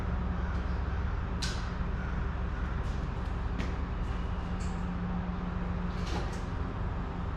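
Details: Slammed ice cream truck started after sitting out all winter in Michigan: low, steady idle hum with door and handling clunks on top; engine runs evenly. Normal idle.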